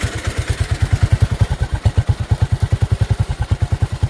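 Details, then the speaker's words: Bonser auto truck, first run with a new engine, heard at the tailpipe: deep, even exhaust thumps about eight per second that swell and fade slightly; hunting idle, carburetor suspected to need adjusting when hot. "I think we've got to adjust that carburetor when she gets hot. She's a little bit hunty. But I think it'll be fine."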